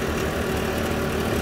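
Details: RV furnace, model 8535-IV: steady blower roar with a coarse, even rattle underneath that returned and is getting worse; broken blower wheel fins chattering in the housing.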